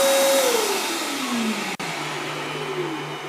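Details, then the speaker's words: Refuge LFP 100 Pro portable solar generator with a pure sine wave inverter, after running roughly 1,000–1,100 W power tools: the inverter cooling fan whirs and steadily ramps down to a soft hum, a normal spin-down. The fan runs continuously when hot. "you hear how the fan ramps down so it's really as H as it gets you know if it gets hot the fan will run continuously"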